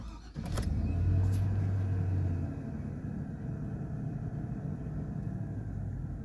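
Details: Truck idling after a temporary clamp-and-material repair while awaiting a replacement part: a low, even rumble holding steady without surging or hunting. The engine is idling and running smoothly.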